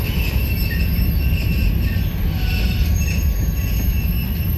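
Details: Union Pacific 6644 freight train leaving Mesa Yard: deep rolling rumble with faint intermittent high wheel squeals; squeaking and clanging made it stop, cause not stated, later fixed.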